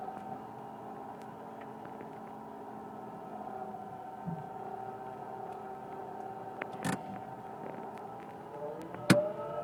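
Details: 1999 Mitsubishi Pajero iO: steady layered whine wavering slightly in pitch from engine bay, present from start to shutdown, worse the more it's driven and warmer it gets; mechanics variously suspect alternator bearings, A/C pump or water pump.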